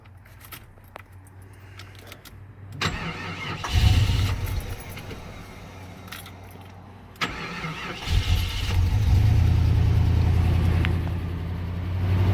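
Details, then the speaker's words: Restored 1989 Jeep Grand Wagoneer with new fuel injection and belts: a brief starter crank, then the engine fires into a smooth, quiet, steady idle with no ticks or knocks. Hood insulation helps keep it quiet. Normal. "here a quiet now you can really hear how quiet is imagine new fuel injection belts and a lot of other parts but what makes a difference is that being quiet is the hood insulation"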